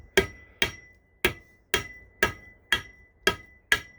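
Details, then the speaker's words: Eight crisp hammer taps, about two a second, each turning hard and sharp as a press-fit railroad crossing signal base is tapped onto its pole, aligned to the weld line: base fully seated. "you'll hear the tone get a hard sharp sound that means it's all the way down"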